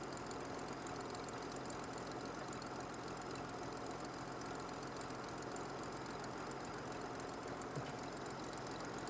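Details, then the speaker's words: Revived 1950 Dodge Power Wagon warming up, still with an oil leak and a loose distributor: a steady, even idle with a soft regular beat and no knock or stumble. This is a normal warm idle. "right more coolant needed that sounds absolutely sweet"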